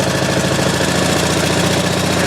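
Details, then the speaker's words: Pump engine on a 1989 Ford F-350 brush truck, throttle run up to bring pump pressure to about 100 PSI for the booster reel: even, steady beat at raised speed with no knocks or misses. Normal, healthy running. "throttle speed is right down here so we're going to run that up just a little bit bring our pressure up"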